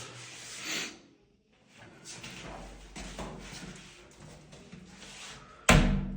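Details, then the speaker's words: Glass shower door after WD-40 on the previously squeaking hinges, a temporary fix in place of silicone grease: it swings with no squeak, then closes with a firm knock; the sagging door was also adjusted and the seals replaced. "О, как новенькие заиграли."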